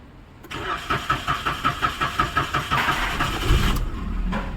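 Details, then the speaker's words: Maruti Suzuki Celerio that cranked but would not start, started on CNG after bypassing a faulty relay: cranks in a quick even rhythm about three seconds, then fires cleanly and settles into steady idle; normal start after relay fix. "यहां पर गाड़ी हमारी start हो गई है देख सकते हो वापस से दिखाऊंगा सड किया है और गाड़ी हमारी स्टार्ट हो गई है"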